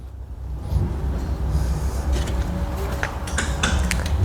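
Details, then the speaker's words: 2014 Tesla Model S after LDU rotor coolant delete install, reconnecting disconnect and 12-volt battery: a few sharp clicks over low hum as car powers up; contactors closing normally. "And then we'll connect our 12-volt battery, and we should hear the car power up."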